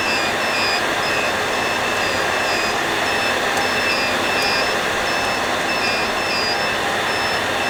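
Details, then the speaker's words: HP EVA6000 disk storage rack at power-on: repeating short high beeps at several pitches over a steady fan roar. Several shelves are reporting faults such as power loss or Fibre Channel loss; each pitch marks a unit number, lowest unit lowest pitch. "power loss for example loss of fiber channel connection they beep and the beeping sound the pitch of the beep is corresponds to the unit number so the lowest unit number here has the lowest sound"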